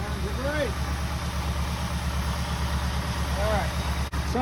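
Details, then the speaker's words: 1964 Buick Riviera, sat 23 years in a field, revived and warmed up with idle raised, listened to at the tailpipe: steady, even V8 idle burble with no knocks or misses. Charging at 13.2 V; sounds healthy. "can't charging y 13.2 that's perfector good that sounds sweet"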